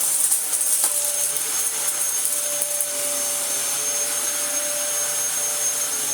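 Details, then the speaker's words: Second Dyson vacuum run with its broken filter removed: steady hiss-heavy motor run with a faint rough rubbing flutter underneath; brush roll is badly worn but the vacuum still works okay. "The brush roll is utterly shot, but it works okay."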